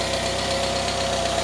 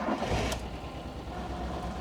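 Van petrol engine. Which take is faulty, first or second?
second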